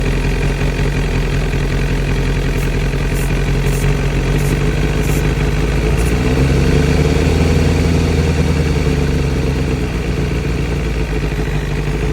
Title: Seems to be a vacuum leak ( Somewhere ) ?